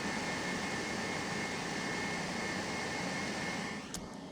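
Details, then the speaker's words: Dabbsson 2000L portable power station cooling fans during AC charging, nearly full, recorded on the speaking mic: steady loud air rush with faint tone around 2 kHz, no shrill whine; loud but normal. "So they're loud, but it's not obnoxious. I've heard way worse. I've heard whiny, like high-pitched sounds that are like almost unbearable. This is not that."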